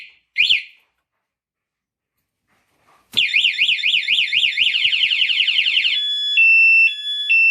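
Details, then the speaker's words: Motorcycle remote alarm under vibration-sensitivity tests at low and highest levels: fast warbling siren sweeping up and down, then a run of steady high beeps. Alarm siren triggered by vibration. "[ لو لیول وائبریشن حساس ٹیسٹ ] [ وائبریشن حساس اعلی ترین سطح پر ٹیسٹ ]"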